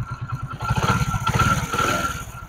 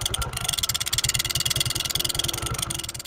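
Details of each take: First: Honda Pridor 100cc motorcycle after repair of bad engine noise by opening the magnet, sanding the face and refitting it with a ₹20 fix: small even single-cylinder thumps at idle, brief throttle blip, no rattle or clatter; smooth. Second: Honda Pridor 100cc motorcycle idling: sharp metallic tick on every firing pulse from inside the engine; loose flywheel magnet rotor rattling, sound smooth after the magnet is opened and fixed.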